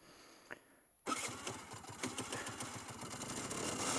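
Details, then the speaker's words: 2006 Aprilia SR 50 R scooter at idle without throttle; rough rattling grind from CVT/clutch side, caused by misplaced kickstart gear, fixed by repositioning it. Misplaced kickstart gear grinding. "yeah that's a problem oh sounds like a problem sounds like a major problem really and it's all coming from that place where the bullet is or the clutch is"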